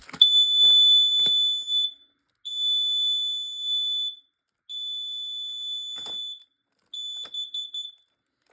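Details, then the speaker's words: Smoke/CO alarm (Kidde-type unit, owner says it can switch into CO mode) pressed test and reset: four loud, piercing high-pitched tones about 1.5 s each with short gaps; alarm sounder works properly. "And yeah, this detector does give me a headache when it's making that noise."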